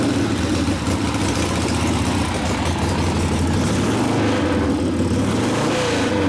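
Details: 1972 Harley Sportster XLCH Ironhead after case repair and engine rebuild (came in with kick starter unable to turn the seemingly locked motor): steady, even low thumping with no knocks or rattles; normal running.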